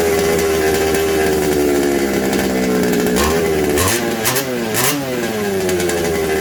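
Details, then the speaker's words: Secondhand 1/5-scale RC Baja two-stroke after replacing a suspected warped isolator block and its gaskets. It revs unevenly, the tone wandering and surging instead of holding steady. The owner suspects an intake air leak. "and unlock the auto all right still seems to be an air leak yeah it's another tricky do"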